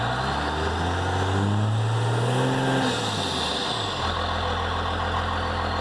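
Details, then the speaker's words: Dodge Ram 2500/3500 Cummins diesel with the stock turbo silencer ring still installed, before its removal. Steady, even diesel idle clatter with a low smooth drone and no turbo whistle. "So I'm just going to do a quick couple of cruising videos so you can hear how quiet this thing really is."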